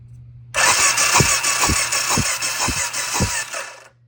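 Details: 1990 Suzuki VX800, sat a long time: uneven starter churn with heavy low thumps about three a second, no firing before it cuts out; cranks but won't start despite confirmed spark.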